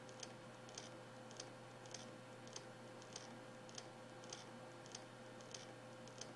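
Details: New Samsung HD103SJ Spinpoint F3 1TB hard drive, dead on arrival: sharp clicking about every half second over a steady low motor hum.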